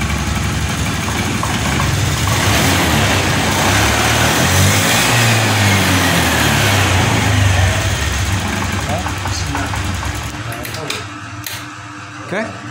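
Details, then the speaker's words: Honda Scoopy 2021 scooter sputters and surges unevenly under throttle, then sags and nearly dies, despite a new spark plug and a new non-original injector; fuel pump normal. Faulty aftermarket fuel injector starving it of fuel. "busi sudah kita ganti, kok busi sudah kita ganti baru, dan injektor ini yang baru juga, namun di sini masih berbet."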